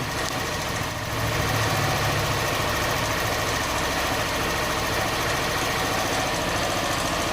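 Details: Honda Bros 160 at a steady idle with a light, somewhat uneven knocking over the engine note, a knock from inside the engine; it has been to warranty 4 times and the noise persists, cause not identified.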